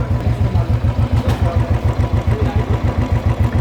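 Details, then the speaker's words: Royal Enfield Electra 350 single-cylinder after two-day engine repair of tapping noise: steady, even low idle thump, no tapping, only engine sound, smooth and clear. "गाड़ी कितनी स्मूथ हो गई है, किसी भी चीज़ की इंजन से आवाज़ नहीं आ रही है और एकदम क्लियर है।"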